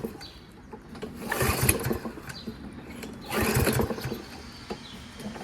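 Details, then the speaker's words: Toro 22-inch Recycler lawnmower with Kohler XT675 engine labeled "guaranteed to start": two quick pull-cord whirs with brief chuffing that never catches, then quiet; cranks but won't start. "does that sound like guaranteed the start to you how do they get away with it"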